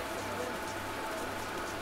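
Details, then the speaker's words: KSB training-centre centrifugal pump cavitating, bubbles visible in the flow: steady crackling hiss like rain with a low hum beneath; discharge valve then closed to listen. "En fait, ça, c'est le phénomène de cavitation. Les bulles, on les retrouve ici."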